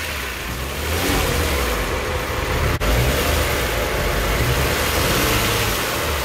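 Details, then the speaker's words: Kia Stinger GT GDI engine, revs held slightly while intake carbon cleaner is drawn in via the catch can/PCV hose; coughs and stumbles irregularly as if about to stall, considered normal during cleaning. "it does seem like it's making a sputtering sound like it's going to stall is normal"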